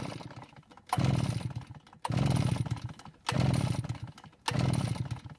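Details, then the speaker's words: Almost-new Redmax EBZ8500 backpack blower with only a few hours on it, days after it quit: four pull-cord rattles about a second apart, no firing or catch; cranks but won't start, with a suspicion that the ignition has failed. "so it didn't even try and start now i have to wonder if the ignition system has somehow failed which would be pretty amazing with only a few hours on this engine"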